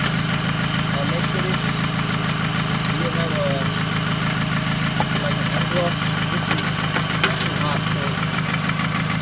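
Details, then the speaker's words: Steady idle with a light, fairly quick ticking (about three per second) over engine hum on a 2006–2008 Toyota Camry 2.4 engine; replacing a lifter didn't cure it, traced to a leaking intake manifold. "i change a lifter it doesn't work still noise now finally figure out this intake manifold noise let me let me start in here"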